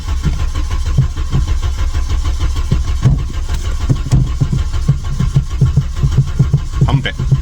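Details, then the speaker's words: 1997 VW Vento 1.8 automatic, long abandoned, after a vacuum line change the owner suspected was the cause, pedal pumped: deep, even starter chugging about two beats a second, never fires; crank no start, cause unconfirmed. "Pump it. God's sake. [music] No, it won't start at all."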